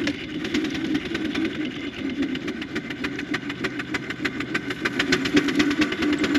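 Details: 4-inch Foster steam traction engine "Dolly", winter steam test after boiler retubing, worked under load at only 55-60 lb pressure, regulator wide open; crisp, even chuffs roughly two a second, building slightly; singles quite deep, normal exhaust.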